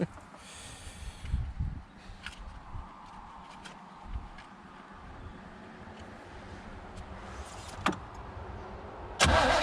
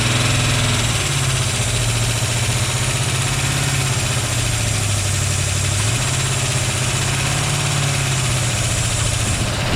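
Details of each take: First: Chevy Vega wagon with a 350 V8 and 4-speed, sat about 15 years in a field: short cranking bursts with brief stumbles that never catch; spark lost, owner suspects a weak connection at the distributor. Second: Chevy Vega wagon with a 350 V8 and 4-speed, year unknown, sat in a field about 15 years, first start with fuel added and no belts: steady, even low rumble at idle, no misses or knocks; runs surprisingly well.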